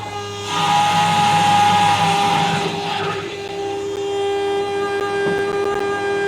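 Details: 800hp 1931 Ford Model A, started in the shop after ignition on and fuel pumps one and two: fires quickly, swells to a strong even roar, then settles into a steady idle with no misses or knocks; normal start and idle.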